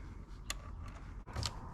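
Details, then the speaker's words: Fuel level sender float arm swung by hand on a new fuel pump removed from the tank: sharp, uneven clicks and scrapes, catching partway through its travel; fuel gauge not working after pump replacement, sending unit defective out of the box. "i started moving this and there is a little bit of a restriction there right there you can hear it clicking"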